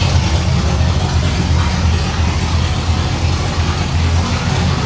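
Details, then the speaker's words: 1989 Pontiac Trans Am GTA V8, salvage car unregistered nearly 17 years, previously running on one cylinder; now idles with a steady, even low rumble and sounds good; an exhaust leak is heard afterward. "Oh, it sounds good."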